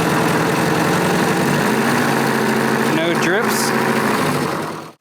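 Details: Classic Honda motorcycle idling with a new plug and prototype oil pressure gauge fitting, reading 58–60 psi: steady even idle, one quick blip before shutting off, smooth firing, no tapping or knocking.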